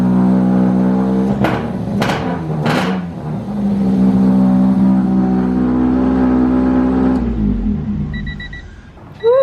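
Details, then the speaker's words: Honda Civic Wagovan D16Z6 after the dead cylinder was fixed: sharp rev blips, rough and rowdy but firing on all four cylinders, settling to a steady idle; smoky, runs easy now. "smoke show she still sounds rowdy but she doesn't sound like crap no more she rubs easy"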